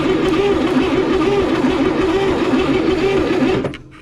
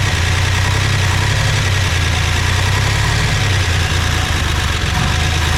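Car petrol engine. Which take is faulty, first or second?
first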